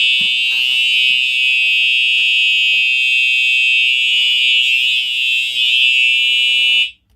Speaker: If you've heard one TrueAlert horn on continuous, you've pretty much heard all of them.